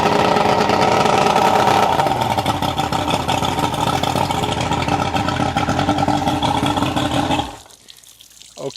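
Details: 1991 Ranger bass boat, 1998 Mercury 200 EFI two-stroke outboard, first run after removing aftermarket parts and fixing the oil pump rod, with reed stuffers still fitted: catches, holds a steady, even idle without misses or knocking, then shuts off; a normal idle.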